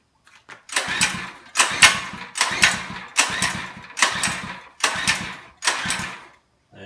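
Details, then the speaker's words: Monster Moto minibike, fuel on, choke on then moved to run: seven even recoil pulls, each a short whirring spin that never catches. Cranks but won't start. "okay that's not working and I move the choke to run see if maybe it's getting too much fuel"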